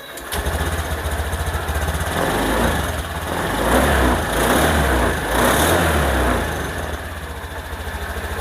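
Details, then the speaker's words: Honda New Scoopy scooter started cold right after an ECU remap flashed with TunerPro: starts at once and settles into a steady, even putter about three and a half beats a second, some blips in between. Normal cold idle. "dingin Alhamdulillah Ini sudah berhasil tinggal kita lihat seperti Apa hasilnya saja Enak nggak enaknya"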